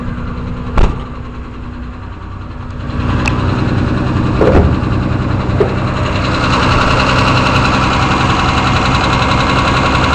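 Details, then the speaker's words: 164 engine after valve adjustment, started cold on full choke after sitting several days: steady even idle with low rumble, no misses or shake, engine sitting still after throttle blips; smooth idle, unlike before valve adjustment. "So you can see the motor is sitting really still. That was not the case when it was first started prior to the valves being adjusted."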